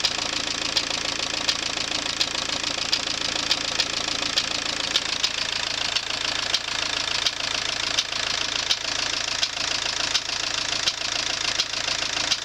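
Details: AWX engine at diesel idle with a sharp, regular ticking knock, roughly three a second, from inside the engine; cause undetermined.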